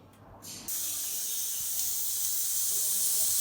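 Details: Mini autoclave sterilising clinic surgical instruments: a sudden steady, even high hiss of escaping steam as pressure reaches 15 psi and the timer nears its end; normal operation.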